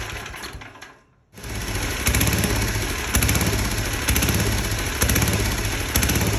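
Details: 34-ton log splitter engine, bought as supposedly locked up/blown, restarted after cutting and reattaching a degraded leaking hydraulic return line; brief quiet, then the small single-cylinder catches and settles into a fairly steady, even, healthy run.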